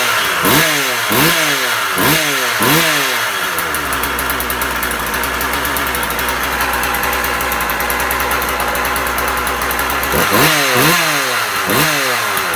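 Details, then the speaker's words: Husqvarna 36 chainsaw after impulse-hole repair, warming up outdoors: quick clean throttle blips rising and falling crisply, smooth steady idle between; runs healthy, restarts first pull. "Okay guys, so the saw is running pretty good. It restarts the first pull every time now."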